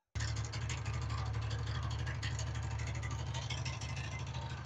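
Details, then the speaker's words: TVS Ntorq 125 scooter idling before repair: deep engine drone with an uneven metallic rattle from a loose nut on the magneto (flywheel) starter one-way clutch. Engine is to be removed from the body and the nut tightened. "यह जो sound में बता रहा हूं one way जो magnet का one way होता है ना ढीला हो जान के बाद में"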